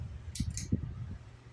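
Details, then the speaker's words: Ceiling fan that began buzzing today after never doing so: faint, steady low buzz with a few light clicks and rustles; quiet when the shade is touched; cause not confirmed. "it's making a buzzing it's making a buzzing noise now I never hear I never heard a buzzing noise on that fan"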